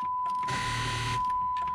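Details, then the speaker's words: 2005 Chrysler 300 with a battery dead from a failed alternator, jump box clamped under the hood, key on: steady high dash chime with a brief buzzy burst while the system stays weak; the ground may be poor. Cause suspected, not confirmed. "so you will just have to turn it on like this go on the inside [Music] and you see now now we're getting some chimes"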